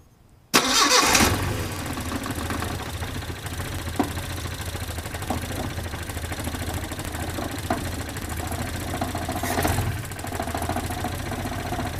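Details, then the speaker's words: 1972 Datsun 510 with a carbureted L20B engine, started after an alternator replacement and a fix for a vacuum leak at the carburetor base, with idle being adjusted. It catches and settles into a slow, steady low idle around 470 rpm with no misses. Normal idle. "right now I'm just adjusting the idols through right now I'm at 470 and it's idling which is fantastic"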